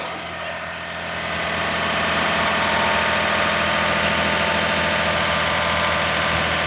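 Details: Daihatsu S210P mini truck engine after new OEM camshaft and phaser, first run in two years, 180 psi compression: smooth, even idle pulsing about 3.5 times a second, no tapping or misses; healthy.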